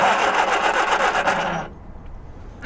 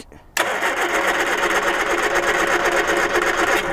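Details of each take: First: Abandoned 1978 Triumph Spitfire 1500, unused for years, cranking after fitting a new pump: the starter spins the engine briskly and evenly for about a second and a half with no labouring or drag, turning over much more easily than before. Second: 1978 Triumph Spitfire 1500 abandoned for years, carbs cleaned but likely needing rebuild: even cranking at about four turns a second for several seconds, never catching or firing; no spark from a failed ignition coil.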